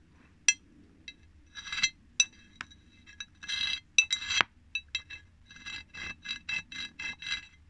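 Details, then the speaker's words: Triumph Tiger 90 engine rebuild, clutch removed on bench: plates slid by hand give gritty metallic scraping and clinking in catching bursts instead of gliding, notchy worn clutch basket splines; may be dressed with a needle file or replaced. "That should be nice and smooth, and it's not."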